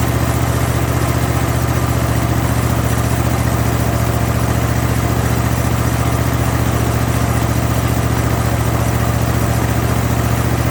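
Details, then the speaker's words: Zero-turn mower with Kohler 7000 series engine after a carburetor rebuild kit, previously surging at all speeds: steady, even idle with a firm thump about three beats a second. Normal idle, surging fixed. "foreign well I think I fixed the problem the surging's gone and uh everything seems to be working as it should"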